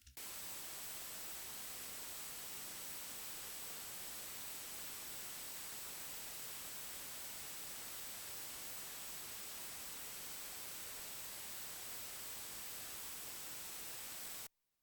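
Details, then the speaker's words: Focusrite Scarlett 1st Gen audio interface, preamp with no microphone connected and the recording boosted heavily: a flat, even hiss with no crackle, pops or hum; the normal noise floor, with two small spikes on the analyzer. "all right so here we see your normal flat white noise and then these two spikes up here that are kind of weird but okay something something like this is to be expected that's pretty normal"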